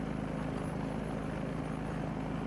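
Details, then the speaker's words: Small engine after carburetor cleaning, high speed screw adjusted from 3600 rpm (too fast) down to about 3100 rpm: steady, even governed drone with no surging or misses; correct high speed. "now it says 31 and change so that's perfect"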